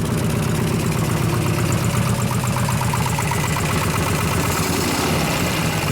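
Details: 2001 Gilroy Indian Chief V-twin being rebuilt as a race bike, steady fast idle: dull, choked thump with little crispness, like a worn-out or new stock Harley; muffler already opened up, some leaks, sounded better at first start.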